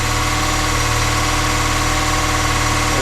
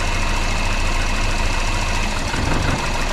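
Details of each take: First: Volvo 480 finally running after a troubled thermostat replacement, idling to burn off excess fuel: a steady, even low hum with no misses, knocks or hunting. The owner suspects a small vacuum leak; normal idle. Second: Volvo 480 petrol engine that sounded diesel-like; HT leads pulled one by one to test each cylinder: the idle turns lumpy, shaky and uneven with each lead removed. Rough running with one cylinder disabled.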